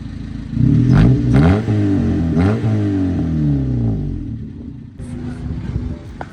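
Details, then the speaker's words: 1998 Honda Civic EK hatchback with possibly blown head gasket (owner suspects head gasket or engine fault), muffler removed: rough, raspy, very loud open exhaust through several throttle blips. "But with this blown head gaskets, potentially, I'm gonna give you guys a sound clip with the muffler off. This sounds pretty good."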